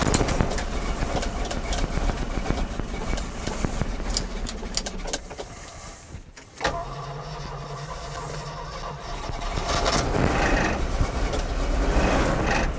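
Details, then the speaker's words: 1981 Jeep J20 4WD pickup with a 360 AMC V8, first start after sitting: it fires after cranking into an uneven, lumpy, wavering low rumble, running rough; oil pressure present, fuel leaking at the carburetor base. "hey we got oil pressure it runs just not very well"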